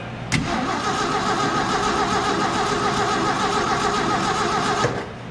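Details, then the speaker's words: Slow cranking, no start: 1968 Ford F100, parked about 20 years and running when parked, starter turns the engine slowly, three or four compression beats a second, for several seconds, never firing; Ford starter solenoid suspected. "It's a little slow to start out with."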